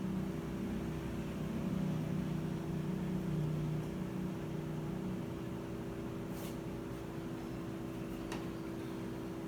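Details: Whirlpool top-load washer that won't spin, even after recalibration: only a steady low drain-pump hum in drain/spin mode with no drum movement; fault traced to the lid/tub safety switch.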